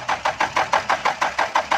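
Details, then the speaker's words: Diesel car (V2/B2), long cranking with no start: steady starter cranking at about six even pulses a second that never catches; glow plug heater relay fault suspected. "दोस्तों, ये देखें, लंबा सलफ ले रही है गाड़ी, स्टार्ट नहीं हो रही।"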